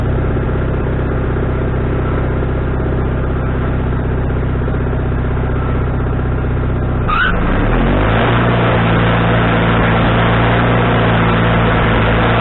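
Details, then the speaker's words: Wood-Mizer LT40HD sawmill engine with a newly fitted carburetor, restarted after cooling down with the idle just set: it runs steady, then dips and lurches as the load engages before settling; surges on engagement, still needing adjustment. "okay first couple times that I was getting the surge when I engaged the engine and uh not bad but it's not the way I want it"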